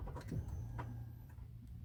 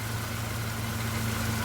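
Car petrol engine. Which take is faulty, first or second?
second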